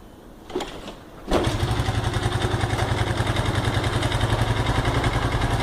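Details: Honda Pop 110 with 34,000 km arriving with an engine-noise complaint: a couple of short tries, then the single catches and runs with a busy, rattly clatter; worn cylinder and slack cam chain.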